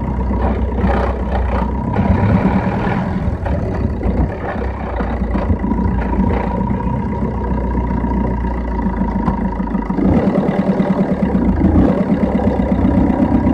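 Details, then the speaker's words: Engine pulls through revs with a thin steady tone rising at higher speed, heard only from about 2000 rpm; source not found. "الصوت هذا ما يتنحى كان فوق الدميلتو. دور لي الباطل اكسلير."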